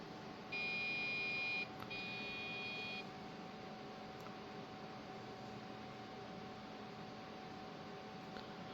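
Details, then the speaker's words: Old computer being set up for Windows 95: two long shrill beeps then faint fan hum, no display; memory error beep code from RAM not pushed fully down. "But it's beeping. I think that's RAM. Nothing ever comes up either."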